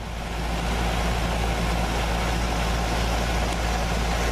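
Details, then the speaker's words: Goodman heat pump outdoor unit starting up after a new 1/2 HP 230 V furnace blower motor and capacitor install, 1280 CFM airflow, charged with about 8 oz refrigerant: even low hum, smooth fan rush, no knocks; running well, cooling inside. "She's purring like a kitten. Everything's cooling down inside."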